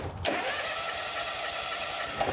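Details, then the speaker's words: John Deere X350 riding mower, sat for years, would not start until sprayed with starting fluid: cranks and catches with a raspy buzz for about two seconds, then dies. Runs only on starting fluid; old fuel contaminated with water. "Give her a little help me juice. I'll put that on it. And we'll try again. Ooh, we got some movement. It runs."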